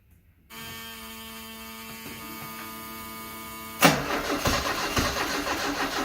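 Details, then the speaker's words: 1974 Alfa Romeo Spider Veloce, 10K original miles, stored 30 years; cranking with accelerator floored: steady whir about three seconds, then louder rough burst trying to catch but won't run; fuel pressure light on, owner later suspects flooding. "The fuel pressure light is coming on when I pump it. It's trying."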